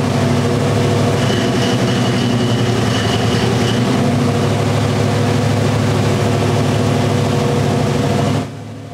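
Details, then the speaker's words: Big-block Chevy with two spark plugs per cylinder and dual ignition: started on one ignition, the loud deep idle picks up RPM and smooths out when the second ignition is switched on, then stops at shutdown. "All right. So, you can hear it actually just picks up RPM."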